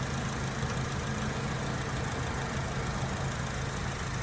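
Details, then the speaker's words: Acura TSX with 250,000 miles at idle: steady petrol idle with a faint, quick light tick over the engine note; owner unsure of the cause and only somewhat concerned. "there is a noise coming from the engine i don't know what it is sounds like a tick kind of concerned kind of not because this car has 250 000 miles so it could be literally anything"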